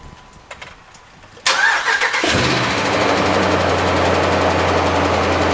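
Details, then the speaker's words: Dodge Ram 5.7 Hemi V8 starting and idling: catches, then faint quick ticking about four per second over the rumble, worse than typical Hemi tick per owner; cause undiagnosed. "that's all I'm willing to show because the motors not dead yet as you can see but it's more than ticket baby way more"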